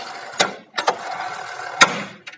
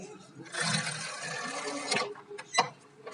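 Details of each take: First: Splendor Plus with an upgraded wider tyre: sharp, irregular 'tak' knocks over a soft hiss as the rear brake is worked, caused by a brake rod bent by mechanics to clear the wide tyre. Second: Splendor Plus with a wider rear tyre: the drum brake ticking was fixed with a Platina drum nut and by straightening the strip. Two free spins of the rear wheel give a smooth, even whirr with no tick; normal after repair.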